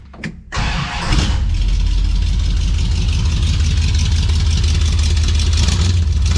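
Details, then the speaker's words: 1968 Dodge Coronet 440 with new exhaust, ignition timing set with timing light: quick crank, fires at once into deep even burble holding steady idle; strong clean start, running better. "So, it's running pretty good. I think it sounds pretty good."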